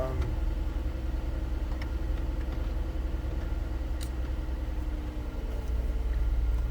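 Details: 2010 Ford Flex turbo petrol engine, 148,752 miles, sat for 3 years, started after repairs for a smoking problem, with a turbo replacement considered. It idles with a smooth, steady low rumble, no knocks or misses, and no warning lights.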